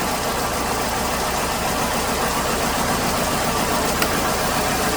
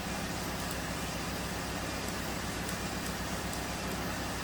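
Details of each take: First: 2008 Hyundai Accent 2.0 idles with a slightly uneven, stumbling misfire; unplugging coils 1, 2 or 4 worsens it, but cylinder 3 makes no difference, showing a dead cylinder from a failed coil on cylinder 3 plus worn plugs. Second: 2008 Hyundai Accent 2.0, diagnosed with a misfire from a failed cylinder 3 coil and worn plugs: on startup it is running fine now, a steady, even idle with no stumble or miss while misfire counters are monitored.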